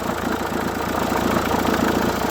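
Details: Renault 1.5 dCi K9K diesel at idle: fast, even ticking chatter staying constant over steady idle, traced to worn idler/tensioner pulley, replaced with new pulleys.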